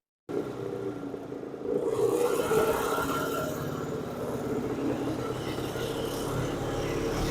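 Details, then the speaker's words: Circa 1966–69 Tradewinds Tiger snowmobile two-stroke running in the shop just after first start, carb being tuned. Uneven, loose burble surging and steadying; runs rough and very smoky. "wo it is Smoky in here he lives"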